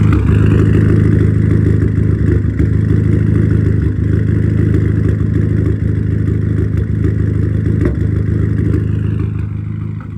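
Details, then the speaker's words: Audi A3 8P after fitting a new crankshaft position sensor: idle is uneven with a lumpy stumble about every third of a second; still misfiring, cause unknown. "I just cannot figure out what on Earth this misfire is when I turn the AC on it doesn't misfire as bad"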